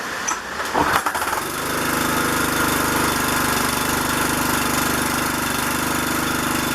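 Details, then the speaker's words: Troy-Bilt pressure washer with Briggs & Stratton engine, after freeing a stuck carburetor float and fitting a new spark plug, recorded in rain: catches after brief crank and settles into a steady, even run; starts and runs normally. "okay good man i can't use it like that the float on the carburetor was stuck as an easy fix"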